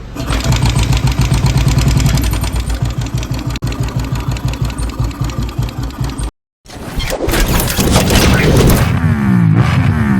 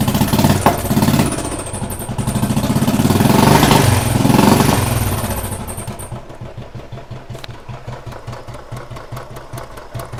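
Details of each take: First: Royal Enfield Thunderbird 350 single: loud thump about 220 beats/min with clattery top end. Oil wasn't reaching the head and was very dirty, and the head valves were sticking. Noisy valvetrain from oil starvation. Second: Royal Enfield Thunderbird 350, 2009 single, after head work for oil starvation and sticking valves, plus new piston rings: revs, then drops to a steady beat near 200 a minute with no tappet clatter. Normal idle.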